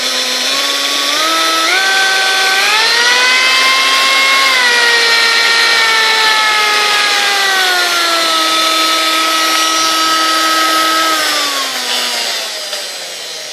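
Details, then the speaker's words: Sunbeam Mixmaster 1-7a stand mixer, handle and knob broken in shipping, switched on before disassembly and service: motor whine climbs in steps, holds, then sags in pitch; uneven start-up, cause unknown, possibly internal damage. "all right so as you hear it's kind of like a strange issue when you first turn it on but that could be because this is all busted up to it"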